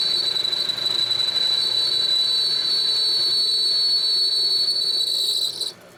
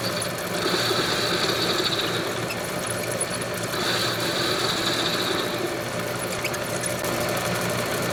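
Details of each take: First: Homemade metal lathe after new headstock bearings and spindle, turning round steel stock: a steady high-pitched ring through the cut that stops when the tool lifts; chatter through the frame, though finish much improved and facing cuts don't ring. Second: Homemade lathe with new headstock bearings and spindle, turning round stock at normal speed: steady even spindle hum with faint high ring from the cut, no rumble or grinding; finish much improved.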